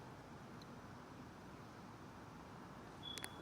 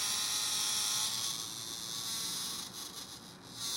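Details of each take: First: Blade 350 QX2 quadcopter's 2D gimbal, powered: only a faint steady hiss with no buzz or whine. The gimbal is now running normally and silently. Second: Blade 350 QX2 quadcopter with a newly installed inexpensive 2D gimbal, powered up without the camera: constant high-pitched buzzing hiss with brief dropouts and heavy vibration. The unloaded gimbal motors are oscillating, and the owner wonders if this affects GPS lock.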